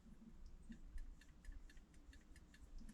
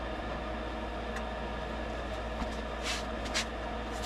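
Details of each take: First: Rheem furnace on a no-heat call: quick light clicks about four per second over a low furnace rumble. The stuck pressure switch is chattering on and off; gently exercising it restored operation, but replacement is recommended. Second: Rheem furnace after a stuck pressure switch was gently exercised on a no-heat call: steady low hum and even airy rush with no rattles or cycling off; running normally, though replacing the switch is still recommended.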